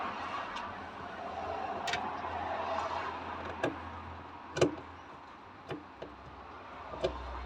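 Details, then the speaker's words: 1964 Jaguar Mk2 sat 15 years; ignition on, the possibly non-original plastic fuel pump on the left side of the boot clicks quietly about once a second while priming, a sign it likely works. "when the ignition was on I could hear the fuel pump uh sort of clicking so that's generally a good sign might mean it works"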